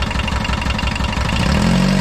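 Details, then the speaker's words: 1980s VW Rabbit pickup diesel, abandoned, gravity-fed fuel with no fuel pressure, little coolant: rough idle with a heavy knock about every fifth of a second; suspected rod knock or piston slap, not confirmed. "i definitely hear like a rod knock or a piston slap or"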